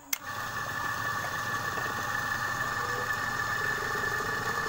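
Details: Repaired refrigerator compressor that had seized from a stone lodged in the valve against the piston, run after charging with air to find gas leaks (a small leak remains): steady even hum with a constant high whine and no knocking.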